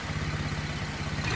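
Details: Swapped 2011 LFX-engined car (originally LLT), coolant 167°F: fast, even, light chattery rattle from the top end riding on a steady idle; timing chain sounds a little noisy.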